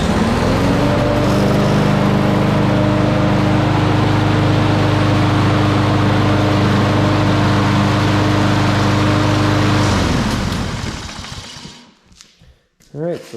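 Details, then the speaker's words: Poulan Pro push mower with a Kohler XT675 engine, formerly a no-start after long storage; after fuel tank drain, fresh gas, spark plug fix and carburetor check it runs about ten seconds steady with no misses, then stops cleanly. "that actually worked I did drain the gas tank too and put fresh gas in it that's always also a good idea if they've been sitting for quite a while like this one was"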